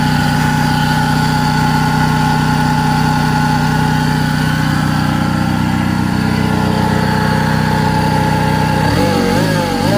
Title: BAD Engine Noise [Diagnose] Follow up for More